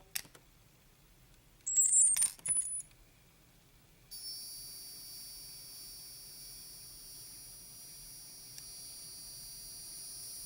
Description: After powering up my Zino I often get a frequency hum of some sort, that sounds like its coming from the gimbal.